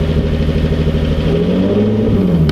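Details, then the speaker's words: Boosted 600 WHP Nissan 370Z Nismo idling with the clutch pressed in, busy clattery ticking over a low rumble; not the clutch and not rod knock, owner says it is a noisy lifter. Finding: noisy lifter tick. "hear that noise that's a lifter now it's not the clutch cuz I have the clutch prle pressed in"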